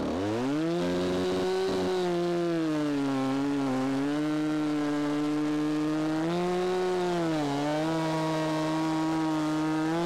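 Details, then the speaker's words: Stihl saw after sitting unused, under cutting load: high note sags and recovers as the bar bites, running clean; owner judges carb tune very close, maybe a hair lean, cutting well with a slightly dull chain. "so it is very very close it may be just a hair on the lean side but two-stroking in the cut for cycling when you let off the pressure it's a change in sound"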